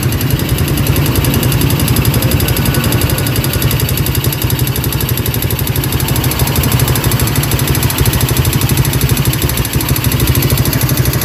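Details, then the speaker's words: Yamaha Vega RR motorcycle that stalls often and was already disassembled without a cure: loud sharp metal-on-metal ticking, about three per second at idle, strongest on the right side, sometimes fading; connecting rod knock. "dengarkan kreteknya ya di sebelah sini itu kenceng banget ya di ujung bagian sini itu kenceng banget kemeleteknya ini terkadang hilang ya kempleteknya ini terkadang jelas banget bahwa dia itu besi ketemu besi ya"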